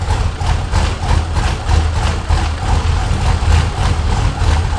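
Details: Ford F100 with swapped turbo LS1 V8 on its first start: deep idle loping unevenly at about a hundred uneven pulses a minute, with stumbles. It runs rough; the owner suspects a vacuum leak or tuning, unconfirmed.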